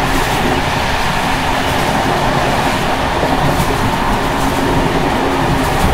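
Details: Czech Bd264 481 coach (built 1979), Görlitz V bogies many kilometres since last major maintenance, evening express on uneven line 190 between Hluboká nad Vltavou and Číčenice: steady wheel-on-rail rumble with loose continuous rattle underneath from bouncing brake rigging. Rattling bogie.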